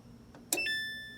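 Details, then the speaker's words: Samsung electric dryer: one sharp click with short ringing tone when start is pressed, then nothing, drum never spins; sounds like board relay but thermal cut-off on blower housing suspected. "so we're gonna dig in to see what that is it sounds almost like the relay on the board but i think it's a thermal cut off which is located on the blower housing"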